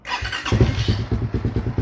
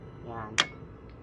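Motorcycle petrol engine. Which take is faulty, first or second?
second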